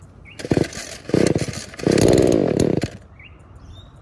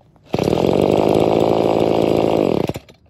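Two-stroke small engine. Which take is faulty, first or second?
first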